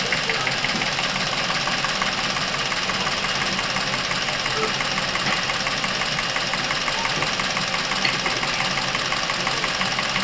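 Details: Chevrolet Epica over 200,000 km, warm with fresh oil and Dimexide flush added at 100 g per litre: fast, light ticking at a steady rate over the idle, quieting as clogged passages clear; hydraulic lifter noise from top-end oil starvation.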